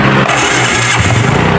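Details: Suzuki Smash motorcycle after repair of a harsh noise on starter use, with worn dynamo brushes replaced and the old starter connecting gear found crushed: the engine catches quickly with no grinding; normal start.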